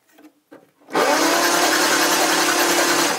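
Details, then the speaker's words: 1959 Aston Martin DB4 barn find, unstarted since about 1982, cranked with plugs out: starter whirs steadily for over two seconds without firing; engine cranks but no spark despite a working coil, a faulty wire suspected. "that's not helpful that isn't so still no spark"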